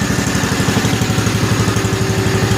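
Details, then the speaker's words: 1955 Cushman Truckster, cold start after a couple of years unused, with aftermarket exhaust: quick regular single-cylinder putter about nine beats a second, no misses or knocks; smooth quiet normal idle. "Sounds as good on camera as it does in real life, but what a smooth running, quiet little engine this thing really is. I did a nice exhaust on it. Sounds pretty good actually."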